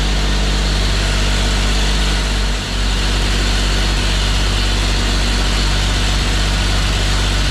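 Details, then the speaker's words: Custom 1950 Chevy Styleline after sitting over five years, run with fresh gas: a heavy, lumpy idle with an uneven chug and a brief sag, like an old tractor. A cut vacuum line plug was found that is hampering the tune. "Sounds like an old John Deere. Now I got a different problem. I definitely have a cut in one of my vacuum line plugs. I don't think that's helping my situation of dialing this thing in."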